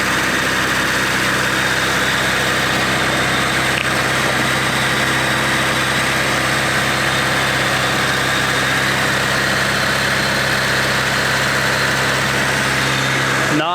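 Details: Honda Civic just swapped to a D16Z6 engine in four hours, first run: smooth, even idle with a steady low hum and no knocks or misses; engine running healthy.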